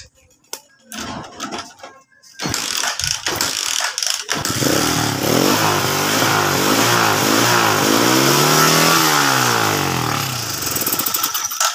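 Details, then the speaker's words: Motorcycle with hard starting: several cranking tries, then it catches on choke with revs rising and falling unevenly. It runs only with the choke on, so ignition is fine. "Mga padreng p ganyan yung issue ng motor umaandar siya ng naka chock ibig sabihin Okay Yung kanyang kuryente"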